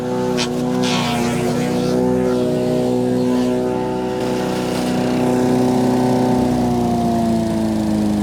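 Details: Wood chipper chipping branches after a broken ear was welded back on; strong, steady engine drone whose pitch dips slightly under load and recovers. Normal operation under load.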